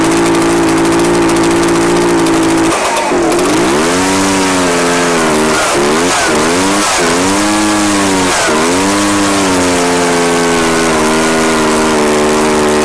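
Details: Echo PB-755ST two-stroke backpack blower on fresh two-stroke mix with Seafoam after stale fuel. The idle steadies, then revs rise and dip repeatedly instead of climbing cleanly. It runs better, but the carburetor mixture still needs adjusting.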